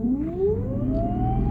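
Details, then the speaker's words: 2008 Mercedes-Benz S63 AMG, engine running in shop: a clear whine and rattle climb in pitch over a low engine rumble as throttle is applied, attributed to engine mount failure. "Nick we're top automotive today we have a 2008 Mercedes s63 I'm gonna crank it up show you guys the whining noise it's making in here rattle is he give it gas we're getting ready to put it on the lift"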